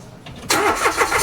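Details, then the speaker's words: Mitsubishi Mirage with new Motolite NS40 battery replacing the specified 1SM: brief crank, quick catch, even idle; voltage stayed above 10 V while cranking and rose to 14 V, battery and alternator charging fine, normal start. "Dito sa test natin, kitang-kita okay naman. Hindi siya bumaba ng 10 volts. So ibig sabihin goods na goods iyung battery."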